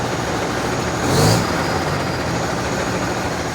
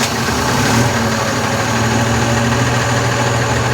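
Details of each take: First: Constellation 19-320 diesel truck after engine rebuild (new piston, rebored cylinder): even diesel drone with one brief rev swell, no knocking or whistling; engine noise now gone, running clean and healthy. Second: Constellation 19320 truck diesel after rebuild with new piston and rebored cylinder: steady idle with low heavy drone and faint uneven tapping about three times a second; brake air compressor is broken and knocking, not building pressure on the dash.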